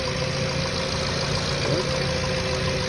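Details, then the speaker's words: VW Jetta with a single coil pack and ignition wires, hot engine idling steadily with no stumbles during the salt-water spray test on coils and cables. The ignition system is not leaking. "that's that this one is fine okay so this this IGN system is not leaking is fine"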